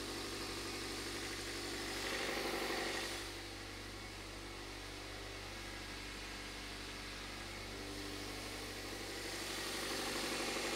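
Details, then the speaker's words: Toyota engine idling smooth and even with no misses, then revved; number four cylinder's spark plug had been suspected flooded, and the engine now sounds a million times better; normal idle. "a million times better so you rev it up there we go"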